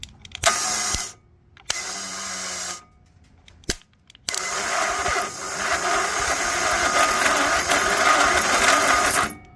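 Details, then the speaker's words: Toro Wheel Horse 265 lawn tractor: harsh high-pitched whirring grind for several seconds after short stabs, engine not catching; failing starter motor. "starter definitely is not happy we'll have to go look in the junkyard go from there"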